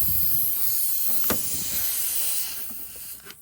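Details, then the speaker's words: Honda Crosstour A/C unused for years, suction line rubbed through on plastic tank ridge: sharp, steady hiss of escaping refrigerant changing as hose moves, fading near end; refrigerant leak from hole in suction line. "Hear the noise change? There's a hole in this suction line."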